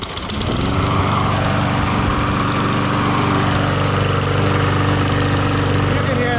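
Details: MTD Gold mower, Briggs & Stratton Quantum engine, after repair: single-cylinder running fast and steady with loud, raw exhaust bark; muffler only partly fixed because its bolt was broken, noticeably loud but runs acceptably.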